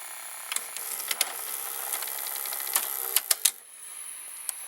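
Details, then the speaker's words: Fisher FVH-825 vintage VCR with the idler repaired (spring replaced, misplaced plastic piece refitted) and a bad pinch roller: thin motor whir with irregular clicks as the tape struggles to wind back into the cassette, though it is not eaten. "looks like the tape struggled to get back into the cassette, but at least it did not get eaten."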